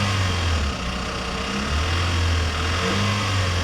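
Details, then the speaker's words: Flood-damaged Mercedes from Copart with fresh-looking oil, after sitting a long time: light rattling chatter from the top end over the idle, persisting through a small throttle blip; top end lacking lubrication suspected, possible mechanical damage; top-end chatter. "I don't like that chatter but some of these cars sit for a long period of time guys and that can uh take a while for the top end to get re-lubricated"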